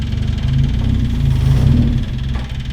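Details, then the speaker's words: Stock car's freshly self-rebuilt racing engine, after crash repair: strong low note with an even, steady beat, no knocks or misses; the rebuilt engine runs smooth. "I've said it now, but that's gone too well. The engine's running. The engine's running smooth."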